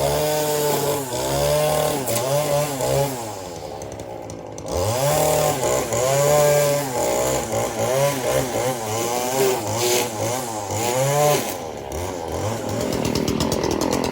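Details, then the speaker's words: Stihl FS 40-C string trimmer with opened-up muffler at full throttle: screaming two-stroke holds high revs through repeated cuts, dipping slightly under load and recovering quickly without bogging; strong, healthy running. "watch it doesn't even bog down"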